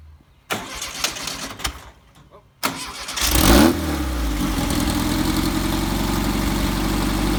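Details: Red buggy engine, just got running after turn-signal wiring was finished: a few cranking clatters, then it catches and settles into a steady, even idle; healthy start.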